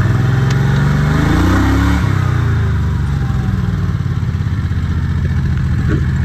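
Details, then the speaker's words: Predator 670 22 HP V-twin in an EZGO Workhorse golf cart, warm, read on a tachometer: fast, busy idle around 1800 rpm with a dip at about two seconds, too high (target 1100–1200), making gear shifts hard; carburetor idle then adjusted. "let's turn the key on does full cycle idling around 1800 degrees or sorry 1800 rpms on the last 10 degrees it's a little on the high side but it is working"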